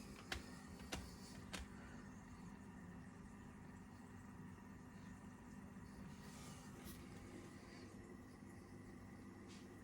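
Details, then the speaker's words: AquaEl Ultra 1400 aquarium filter, noise test, diffuser on, meter reading about 29-30: faint steady low hum with a few soft clicks early on; motor runs smoothly and very quietly, normal. "Nice and quiet, very quiet."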